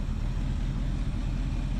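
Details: 1976 Ford Ranchero 500 V8 after new timing chain and oil pump install, warm idle running about 190–200 degrees: low even burble, no ticking or knocking, blow-by noted without PCV; runs smooth and healthy.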